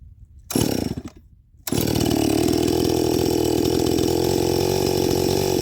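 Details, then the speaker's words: First-generation Stihl MS261 with a gutted, ported muffler, oiled foam filter, rebuilt Zama carb with the high circuit tuned, 30:1 mix on 91-octane, at 7000 ft cutting dry ponderosa: slight four-stroking at high rpm, then a steady scream in the wood; a normal full-throttle cut. "so you can hear it it's still four stroking a little bit there in the high and at the high RPMs and then she settles down once you put her in the wood"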